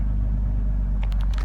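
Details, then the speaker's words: Car that idled rough and stalled at stop signs, after Lucas upper cylinder lubricant and injector cleaner and adjusting the throttle set screw: in park, low steady even rumble with no stumble or dips; rough idle solved. "I feel like this solved it it's worth the shot if you're having a rough idle give that a shot no rough idle guys Oh piece of cake perfect"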